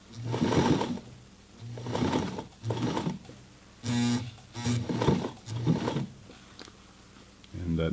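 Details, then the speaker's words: Singer 237-MA sewing machine, cleaned, oiled and tension adjusted, hemming jeans: short bursts of low buzzing motor hum rising and falling with foot-pedal presses, with pauses; typical normal sound of these older motors. "it's kind of what all these older motors from the sound they make"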